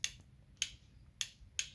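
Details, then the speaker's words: Wolf lawnmower switch box, after temporary fix adding a small piece of wire insulation on the rubber dome atop the green lever: four crisp, sharp clicks as the button is pressed; micro switches now actuate properly. "those micro switches work the only thing I did was even remember there was that little rubber dome on top of that green lever that pushes down on the micro switches"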